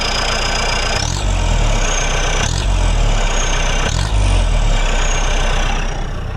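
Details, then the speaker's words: Mahindra MM550 jeep after a performance upgrade: three throttle blips, each bringing a high whistle that climbs with revs and fades as the throttle closes. Turbo spooling normally; normal turbo whistle. "Whistling ಹೊಡಿತಾ ಇದೆ ಅಲ್ವಾ ಯಾವಾಗ whistling ಬರುತ್ತೋ turbo ಇದೆ ಅಂತ ಅರ್ಥ turbo ಇದೆ ಅಂದ್ರೆ ಪವರ್ ಇದೆ ಗಾಡಿಲಿ ಅಂತ ಅರ್ಥ"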